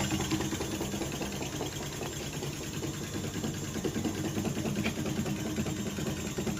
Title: fully automatic washing machine sound problem 🧐🛠️ #shortvideo #viral #trending #experttecnic 🛠️🧐🤸💪🔧🪛